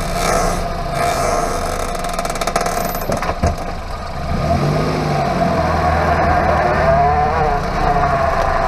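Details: Hyundai Avante MD (Elantra) underbody noise: low droning growl rising and falling with road speed under the engine note, worn wheel hub bearing.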